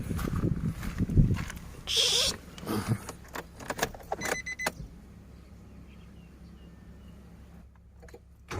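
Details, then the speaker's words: Nissan Almera/March after replacing failed ignition coil: engine starts quickly and settles into soft, even idle with no stumble or misfire; earlier stumbling gone, engine steady. "เสียงนิ่มขึ้นแล้วครับยังสะดุดไม่มีและเสียงนิ่มเดี๋ยวก็นุ่มเหมือนเดิมครับ"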